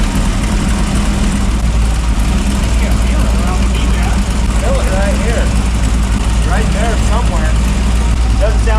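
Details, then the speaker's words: Fab Rats FJ45 rock crawler, started after resealing the headers with silicone: steady low idle with an uneven puffing tick on top; an exhaust leak still blowing somewhere around the header, source not yet found. "something's leaking sounds like a giant leak"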